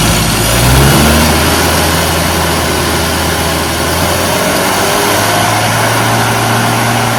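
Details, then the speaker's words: Small four-cylinder classic car engine revving flat and uneven with an occasional miss off the rev range; ignition timing retarded. "No, it sounded like a miss off the rev range. It did, you're right. Okay, it sounded a bit flat, right?"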